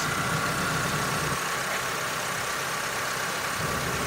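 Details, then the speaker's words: 2006 Honda Civic first start after engine reassembly, fresh oil and antifreeze, primed by cranking with coils unplugged: starts right up into a steady, even idle with soft hiss, no knocks or ticks; sounds healthy. "It's a moment of truth. Here it goes. Woo, starts right up. Nice."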